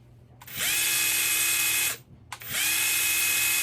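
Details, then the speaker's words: UDIRC Snow Leopard Pro 1/24 4WS crawler, two-speed transmission in high gear: two bursts of high whine each winding up after about a second's lag, not from gradual trigger; delayed motor response. "see do you hear it do you hear it kick in after a second it's just it's not it's not smooth"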